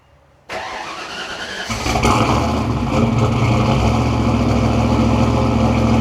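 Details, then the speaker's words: Turbo Foxbody Mustang after wiring fix, microphone at the rear exhaust: starter catches quickly and engine fires into a steady, even exhaust rumble with no misses; normal running. "Ladies and gentlemen, it is time to finally start this thing properly. I'm going to put my microphone at the back here so you can get a full on exhaust clip."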